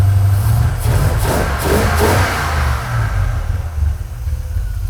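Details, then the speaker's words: 1980 Corvette V8, just fired up on choke with an empty float bowl: deep, uneven burble rising with quick throttle blips and settling back; strong and clean, nothing wrong heard. "All right, this thing's fired up, sounding awesome."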